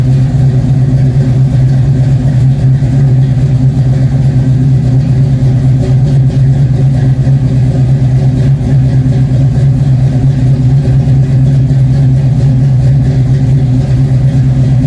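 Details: Cutlass after fresh oil change: deep, even engine rumble holds a steady beat with no knocks, misses or ticks over the whole run; sounds healthy.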